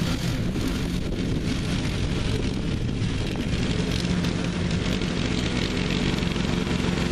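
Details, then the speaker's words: Neglected riding mower revived with spindles rebuilt using grade eight hardware and blades refitted: a steady, even engine drone under cutting load with no misses, knocks or surging, running and mowing evenly. "but it seems to be running good and mowing good it mows evenly"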